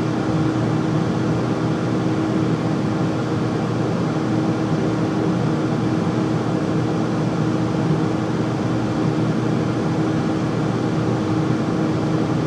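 A loud, steady roar with a constant low hum stays even the whole time, with no knocks or changes; the furnace is running noisily.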